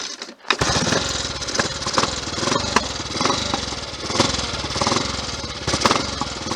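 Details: Triumph Tiger Cub single-cylinder on test ride after misfire fix (blackened spark plug cleaned, carb float bowl emptied, jets blown through, fuel line checked): steady even firing pulses with no missed beats, running cleanly.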